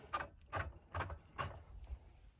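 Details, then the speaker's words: New Arcan A20016 2-ton quick-rise floor jack: turning the release handle bar gives four short gritty rasps; the handle is rough and grinds, not fixed by loosening the bolt. "So this bar here, it is a little bit rough, and you can hear it grinding."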